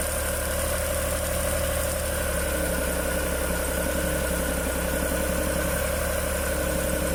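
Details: Suzuki F6A rear-engine multicab, after fixing hard starting from valves stuck open by overheating from near oil starvation: steady fairly even low idle, light mechanical buzz, no knocks or misses.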